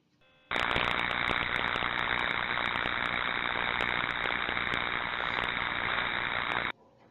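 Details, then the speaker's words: Ultrasound/partial discharge probe on electrical equipment: a harsh, continuous frying buzz with irregular sharp crackles, steady for six seconds. Electrical tracking across insulation. "so we'll find tracking in low medium and high voltages and really this underpins the benefits of using ultrasound testing and partial discharge testing when we're looking at image for equipment and a tracking sounds like this"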